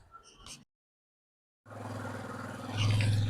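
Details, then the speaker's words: Honda CG 125 single started after replacing the cam gear (garari) and refitting the cylinder and head to cure a cam-gear noise. Steady, even idle with a firm low rumble and no top-end ticking: the noise is gone. "तो दोस्तों हमने गाड़ी start कर ली है अ इजन का आवाज भी सुना देते हैं का साउंड भी आपको सुना देते हैं इंजन का आवाज आप सुन ले अलुला इजन इसत इसका साउंड प्रूफ हो चुका है"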